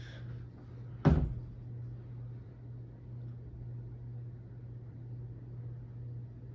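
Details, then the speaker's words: Circa-1980 Supreme ceiling fan with CEC spinner motor at medium-high on its solid-state variable speed control; quiet steady low hum under one early knock, motor humming attributed to the solid-state control. "so I'm gonna crank it up a little more um it's about a medium high [Music] I can definitely hear it humming"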